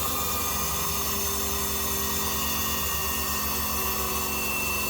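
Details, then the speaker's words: AU Ford V8 Supercar with Motec system and fresh fuel, engine off: steady electric whir with fine rapid pulse as the Facet fuel pumps prime and build fuel pressure normally. "Okay, shut her off. Yeah, you can actually hear the little facet pumps now. Yep, go again. Yep, okay, so it sounds like we have fuel pressure."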